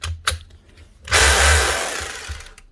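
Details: Makita HR2630 SDS+ drill that no longer hammers: motor gives short bursts then a steady whir winding down with no hammering beat; hammer action not engaging, cause suspected but not confirmed; customer's heavily used drill, early models troublesome in hammer section.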